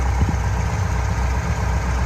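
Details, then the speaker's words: Fuel-injected Corvette V8 after tightening the clacking lifter's rocker lock nut: deep steady idle with an even low pulse and no tapping or clacking on top, valvetrain now quiet. "my suspicion is it ain't gonna be could it be i'm not hearing any clacking anymore"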